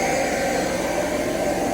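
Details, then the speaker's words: Planter test run with the new 295 tractor: vacuum fan that blows air through to carry the seeds gives a steady whoosh with a constant mid-pitched hum, no wobble or rubbing; the fan runs normally. "so it's working that's what blows the air through here and blows the seeds"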